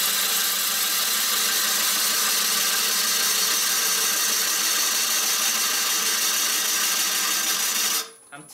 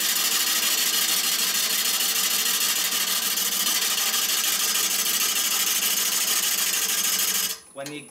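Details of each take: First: Maple burl bowl on the lathe: steady, even hiss of the gouge with no rhythmic interruptions until it lifts off. A continuous cut, showing the face is now flat. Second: Maple burl bowl on a lathe: steady hissing cut with quick, uneven chatter as the gouge bites and misses on the broken natural edge, tending to kick the tool away; pulling down more firmly advised.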